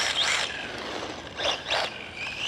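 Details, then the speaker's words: FMS FSC18 1/18 Ford Bronco brushless RC truck on 3S after a few jumps: high motor whir broken by harsh ratcheting bursts as throttle rises and falls; plastic pinion and spur gears stripped. "We got some gear noise. The gears, yeah, completely destroyed them."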